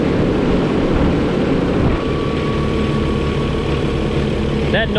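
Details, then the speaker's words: Truck with Eaton UltraShift, diesel idling while building air: steady hum and drone from the engine air compressor that stops at cut-out; compressor bearing was checked and found fine. "you hear there is that air compressor. As soon as that compressor cuts out, it'll quit making that noise."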